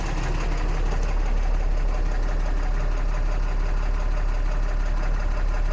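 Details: 2014 Cummins 6.7 diesel idling after a CAT 1R-0750 fuel filter install on a BMP housing, primed to about 10–11 psi, heard close up: deep, even rumble with heavy low boom, no misses or knocks; engine running smoothly.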